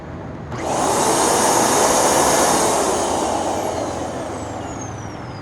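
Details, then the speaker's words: Curb-found vacuum: steady high rushing motor whine that swells then settles, even and free of rattles; motor healthy, only problem is a missing rug plate. "It's not bad at all. Okay, this doesn't seem to have an issue whatsoever."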